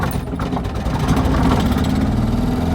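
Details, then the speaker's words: 1959 BMW Isetta 300, 298cc single-cylinder engine, just started in neutral with a little throttle: lumpy, slow, uneven thump with a brief throttle blip, likened to a 2CV with a misfire; normal single-cylinder idle. "And there we go. It sounds like a 2CV with a misfire because it is just a single cylinder engine"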